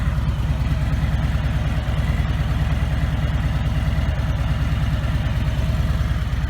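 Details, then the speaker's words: 2017 Harley-Davidson Ultra Limited FLHTK, Milwaukee-Eight 107ci (1746cc) engine: low, even loping idle with a steady beat and no ticking on top; lifter noise is much quieter than older models; normal idle. "it wasn't it was just the sound of the lifters and stuff that's much quieter now"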